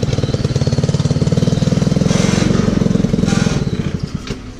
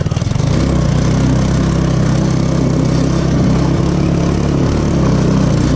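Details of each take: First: 150cc Yerfdog go-kart engine, recently revived: rapid single-cylinder putter pulsing unevenly as it drops toward idle, then slowing and fading; idle surging with some vibration, owner thinks idle needs turning down a bit. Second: 150cc Yerfdog go-kart single-cylinder engine, previously non-running, idling after about 20 bucks of repairs; steady, even putter at idle with no misses or stumbles; running normally.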